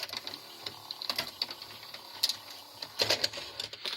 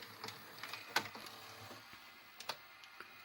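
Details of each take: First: Grandin 2-head multi-standard VCR, model 97, with a cassette inserted: irregular bright clicks and ticks as the tape mechanism keeps cycling without settling; a mode switch fault is suspected. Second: Grandin 2-head VCR, model 97, after cleaning the mode switch and mechanism: soft, scattered clicks and light ticks as the cassette loads, quiet and free of grinding; loading now a million times better and smooth.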